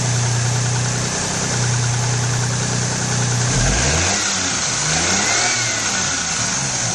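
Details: 1994 Geo Metro four-door during drivetrain restoration, distributor timing being checked: smooth steady idle, then a clean rev rising and falling evenly without stumbling. Normal revving.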